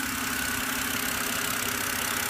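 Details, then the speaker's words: BMW after cleaning the throttle actuator, which fixed the rough idle and stalling at stops (earlier replacement of both VANOS sensors had not helped): a steady, even, smooth idle with no misses. "so now my car is idling a lot better just cleaning my um Auto throttle so that's what solved my RPM problems"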